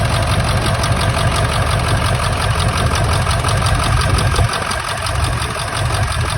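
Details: 1999 Ford F-350 7.3 Powerstroke diesel at idle: heavy, uneven lumpy beat with a stumble, one cylinder missing; injector troubleshooting found one injector not getting oil, cause not yet confirmed.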